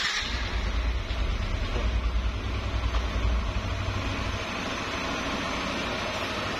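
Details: Yamaha Nmax scooter after repair for a loud rumbling noise, with the badly worn camshaft bearing replaced (CVT and head parts checked): steady, even low idle hum with no knock or rattle, sounds healthy.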